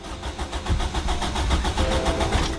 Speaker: so now what we're gonna do is crank it a few times